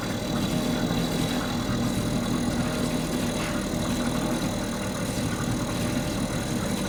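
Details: Mercury 2.5 hp two-stroke outboard after carburetor cleaned; steady even smooth drone, no misses or knocks: normal running.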